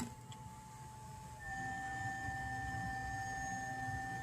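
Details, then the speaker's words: Dolphin S 300i pool robot that won't move, previously repaired for a seized motor bearing: even motor hum with a thin whine stepping up, impeller moving air, but the drive takes no load; owner suspects something slipping, possibly loose parts skipping. "you can hear the motor running [Music] I can feel the impeller I can feel the air moving from the impeller"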